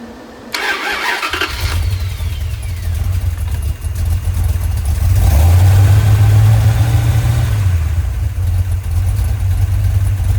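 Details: Rebuilt 1990 Mopar 318 from a D150 truck, honed, custom Comp camshaft, Air Gap intake, mini starter, no alternator, first start-up: brief crank, catches, even lumpy idle with slight rev rise; vacuum pretty low.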